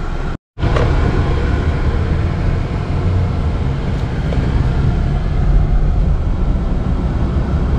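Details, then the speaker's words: 2013 Chevy Cruze 1.4 turbo test drive after catalytic converter repair, no check engine light; steady even low rumble building under road noise, no misfire or hesitation, accelerating normally. "so well it's accelerating like it should"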